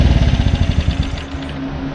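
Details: Normal running on a Mercury 4-stroke small outboard (3.5–6 hp class) after replacing the carburetor that caused start-then-stall: quick rhythmic firing pulses as it catches, then a steady, even hum, running in water test.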